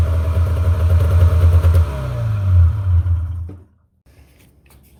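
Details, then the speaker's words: 1997 Polaris Indy 500 snowmobile after suspension removal and reinstall: deep, even two-stroke drone with the track spinning free on the stand, then shut off; runs smooth and tracks normally. "so you saw there just let the track uh spin free a little bit there spun it around a few times and shut it off"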